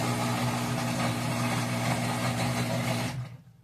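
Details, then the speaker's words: Whirlpool WTW4816FW3 top-load washer, bought July 2023, board replaced three times: loud gritty grinding/crunching drone while spinning during rinse, then abrupt stop; the drain pump was later replaced and it seemed to work. "is just spinning and making that loud crunching noise."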